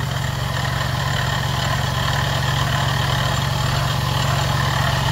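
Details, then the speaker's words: 2009 Jeep Grand Cherokee 3.7 L at idle; even low growl over the idle, about two pulses a second; water pump shows a lot of play with belt off — worn water pump bearing growl, pump needs replacing. "Ladies and gentlemen, we need a water pump. That's what making that noise."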